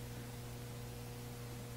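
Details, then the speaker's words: Williams Whitewater pinball machine powered on: quiet, steady 120 Hz hum from the transformer, not the speaker, persisting with the sound board output unplugged; likely loose vibrating laminations, barely audible with playfield lowered and glass on. "yep speakers not the speaker the transformers buzzing i'm not gonna stick the camera in there take my word for it it's doing 120 hertz"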